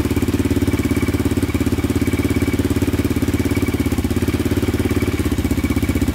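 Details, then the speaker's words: 2002 Yamaha Raptor 660 quad after timing chain and valve replacement, first start: a weak charger had not cranked it fast enough, and it fired instantly on another one; steady, even single-cylinder idle with no misses or rattles. "it was my charger my other one wasn't uh turning it over fast enough that's why i wasn't starting fired instantly with this one right here so that's good yeah i think we're i think we're golden now sounds like it's running pretty good"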